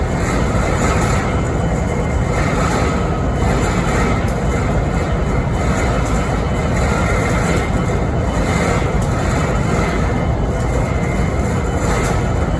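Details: Idling BNSF 5910 diesel locomotive in Springfield, Missouri (11-13-2022): heavy, low diesel rumble carrying a regular pulsing beat roughly once a second; unusual idle noise, cause unknown.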